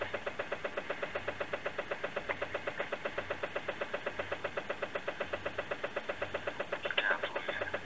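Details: Toyota Yaris Hybrid, about 20,000 km, 2-year-old 12V battery, garage at about -13°C: rapid steady ticking about 2.5 per second with no engine turning; no start from dead 12V battery, fixed by charging it.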